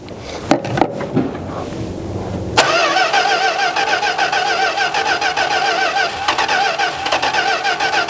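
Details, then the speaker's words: 1971 Plymouth Road Runner, possible 340 H-code, fuel poured in to try starting: a few clunks, then steady starter churning with no firing at all; cranks but won't start, diaphragm not working. "I was hoping to just fire it up off the off some gas in here, but"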